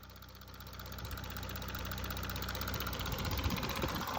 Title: 2017 Audi A5 3.0 tdi Quattro 218ps chain tensioner fail ? Ticking sound !